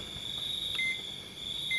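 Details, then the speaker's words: Multimeter continuity check on capacitors around the power IC of a dead phone drawing 0.04 A: one leg silent, the other beeps as it reads to ground; steady tone with short higher beeps as probes touch, capacitor OK. "Oke ya, aman, nggak putus. Ini nggak bunyi. Oh, bunyi."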